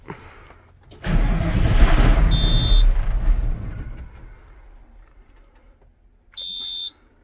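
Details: Tractor just fitted with two new fuel filters, auto-primed about 20 seconds: about two seconds of heavy low cranking that dies off without firing; air trapped after the filter change.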